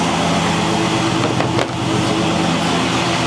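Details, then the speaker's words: LS-swapped Monte Carlo SS V8 at idle on the stock cam (a not-too-choppy cam is going in later) with mellow exhaust: smooth, steady burble, even beat, no tapping or misses; sounds healthy. "So y'all can see what it sounds like. Now, the cam isn't, this is a stock cam, but I'm saying that the cam that I got that's going in here, it's not too choppy, so, and my exhaust is kind of mellow."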